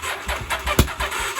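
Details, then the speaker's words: 1983 Honda Shadow VT750C last run six months ago, on an auxiliary gas tank with the choke on and a weak battery: brief ragged cranking with a few uneven catches and pops that never settle into a run, sputtering on the start attempt. "I cranked for a little bit started to sputter so let's see if we get anything out of this guy"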